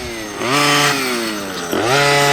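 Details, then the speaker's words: OBR 46cc two-stroke gas engine with silenced pipe in upgraded Losi 5T 1/5 truck, retune after initial break-in, cool weather: buzz rises sharply, eases, climbs again as the low needle is adjusted; sounds slightly rich, not confirmed. "sounds like he's adjusting, almost sounded like the idle motor, and it goes with the low needle."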